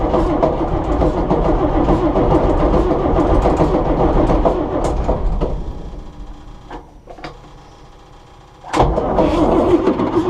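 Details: John Deere 6600 combine diesel idling: uneven knock about three a second as the idler pulley hits the ground because the belt is too stretched; the knock stops once revved; a new spring has been fitted and a new belt is on the way.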